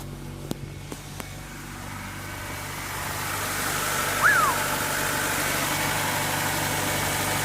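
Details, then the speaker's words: 1998 Honda Civic EX, D16Y8 five-speed manual, first run after fuel pump replacement: a few sharp clicks, then an even, steady idle with no misses or knocks, charging at 13.8 V; normal healthy idle, repaired. "what'd I tell you one fuel pump later and she runs like new"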